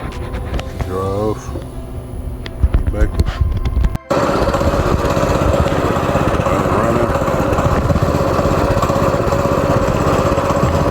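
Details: Go-kart small engine started after cleaning the carburetor, screwing the main jet fully in and tightening a loose part: after other noise it catches into a fast, even buzzing beat, running steadily and cleanly.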